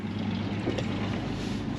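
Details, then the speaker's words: 1951 Chevy 3100 pickup with its six-cylinder engine and original four-speed, running again after being parked for years. Started with a couple of pumps; low, smooth, even, quiet rumble with no knocks or ticks, though a little white smoke the owner expects to clear as the rings seat. "a quick flip of the switch in a couple of pumps and she's running it's pretty quiet little truck"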